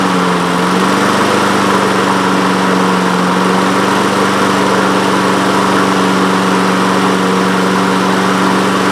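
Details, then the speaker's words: Honda HRN216 mower with GCV170 engine, previously wouldn't start: after cleaning the carburetor jet and emulsion tube and adding fresh fuel, it starts on one pull with the air filter off. It settles into a smooth, even, healthy drone. "Yes. Oh. Well, it's running again. We did it, and it wasn't that hard."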